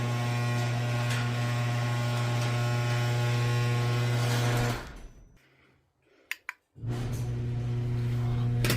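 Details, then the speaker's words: Garage door opener closing the door, possibly the loudest ever, vibrating the floors; heavy steady low hum with fast even ticking of about four per second, then stopping; unusually loud drive, cause unknown. "It's literally vibrating the floors. How freaking loud it is."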